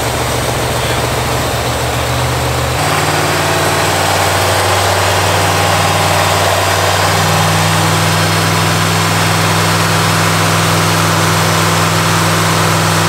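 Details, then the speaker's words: 1985 Pontiac Firebird Trans Am, crate Jegs 350 carbureted V8, during mixture-screw tuning by ear: deep even burble drops to a lower steady idle, no stumble or miss; idle was high, choke now open, running much better. "so it was idle just way high but now the chokes open its say it's already running way better than it was before"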